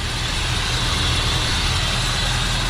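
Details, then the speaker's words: 1978 Ford F100 idling after an exhaust leak repair: loud, steady low idle with no exhaust puffing or ticking, but a lumpy beat from a heavy misfire. The exhaust leak is fixed; the misfire remains. "yeah thing's got a heavy Miss but it sounds like the exhaust leak has been fixed it's idling now much better"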